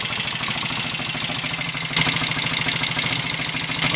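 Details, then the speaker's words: Royal Enfield Interceptor MK1 twin after carburettor re-jetting (25 pilot, 380 main, 106.5 needle jets, 3.5 cutaway slides): quick, even exhaust pulses at a steady idle with no spitting back, popping or hesitation. Idles cleanly, test ride pending. "seems to run quite nicely now without any source spitting back and hesitation pending another test ride of course"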